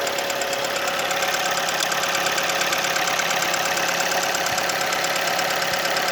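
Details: Kia Ceed at warm idle: a sharp, fairly regular tapping, about three per second. It knocks only when warm, not cold; valves were adjusted and are within tolerance, so not valves. Cause not yet found.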